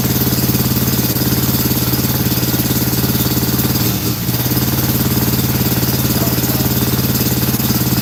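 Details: Scag mower with Kawasaki engine, being fitted with a new carburetor and PTO switch; steady idle with a lumpy, uneven beat about three times a second; only one cylinder firing.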